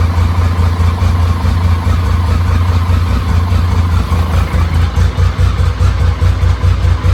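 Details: BMW K75 with intake manifold problems: deep, lumpy idle pulsing unevenly about twice a second instead of running smooth, the rough idle from a vacuum leak past the intake manifold rubber.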